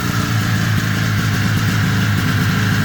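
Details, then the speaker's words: Ski-Doo 377 two-stroke snowmobile found in a field, running after repair: steady, even idle with a smooth low burble and no misses or knocks; normal idle. "Let's try that again. That sounded great, didn't it?"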